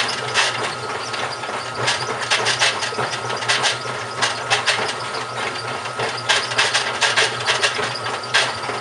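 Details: GE washing machine, model WHDSR315DWW, bought 2006: irregular gritty grinding and knocking bursts over a faint motor hum while running; owner suspects the transmission is failing, source unconfirmed.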